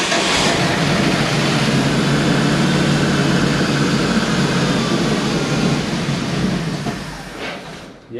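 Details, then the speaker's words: 1970 Ford F250 dually 302 V8 after a top-end rebuild: steady, fast cranking of about three beats a second that never catches, as the flooded engine is cranked from the key to burn off excess fuel. "Just burning that fuel off."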